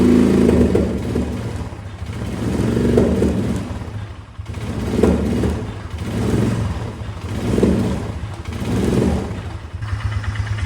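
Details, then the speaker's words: Old Polaris Ranger UTV: lumpy, uneven running that swells and sags about every two seconds over a dull clatter; owner suspects a worn camshaft exhaust lobe, having seen two others do this. "unfortunately I think uh I think we got a cam problem just the way that's doing it's like there's something I don't know I've had two of them do this and it was cam"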